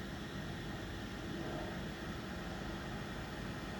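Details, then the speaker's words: Chinese copy diesel parking heater in a camping case, brand new, pulse set to 1.9, at startup before the glow plug fires: the intake fan kicks on with a soft, steady, airy whoosh and no rattle. Normal fan spin-up. "and just as firing up now the fan is kicked on"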